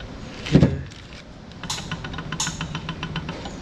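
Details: 2012 Subaru WRX STI flat-four at idle has a light, regular knock about six or seven times a second, a failed rod bearing. The owner reported a small ticking that supposedly fades when fully warmed up and under load.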